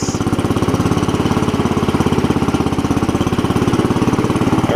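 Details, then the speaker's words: Cub Cadet 70 garden tractor after drive repair, started without choke, in neutral then pulling off: small single-cylinder engine thumps at a steady, even beat under drive with no slipping or surging; running healthy. "I don't think this thing really doesn't require choking a lot of times it will now of [Music] course starts right up"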